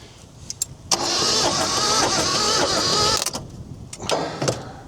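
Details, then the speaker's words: Chrysler Galant 1600 wagon sitting 30 years, starter bridged by hand with no spark yet: steady whirring crank about two seconds at roughly three pulses a second without firing; the starter turns the engine freely. "Oh, she winds. That's what I was worried about. See, my my thing's uninsulated, so it's hitting the positive, which is a good sign. Oh, she'll go if that makes that noise. Very good."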